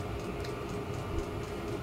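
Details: Diesel heater on a 2-blade icon controller after startup, glow plug switched off, about to be set to full power. Steady fan hum with a light, even tick about four times a second from the fuel pump: normal running.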